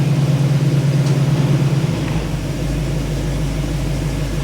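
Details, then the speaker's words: 1985 Chevy truck after carburetor rebuild with float fix (previously stalled when put in gear): smooth, low, steady idle in reverse without faltering; healthy idle in gear. "Start it, baby. It sounds good. It's running smooth."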